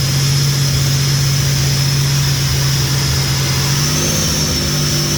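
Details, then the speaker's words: Freshly built 3800 V6 race engine at its first start: strong, even note climbing and settling cleanly with no knocks, ticks, misses or leaks; normal healthy revving after the build. "my um fully built race engine uh it's complete um first started was a complete success"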